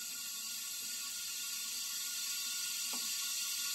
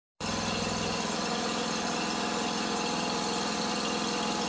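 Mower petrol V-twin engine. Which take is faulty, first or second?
first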